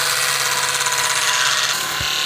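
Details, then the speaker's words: Electric drive motor of a 1970s city car postal van, spun on a battery after cleaning the gummed armature with a commutator stone: steady, even whir. The brushes no longer jump or click and it runs smooth. Normal running. "no brushes jumping up and down feels nice and smooth"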